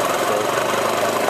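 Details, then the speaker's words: Moped with newly installed radio, just started and warming up: small single-cylinder buzz at steady even idle, no knock; it smokes a little, owner thinks oil change needed; normal warm-up idle. "just have to let it warm up again. I always let it run and everything before I start it, so that way it's warmed up."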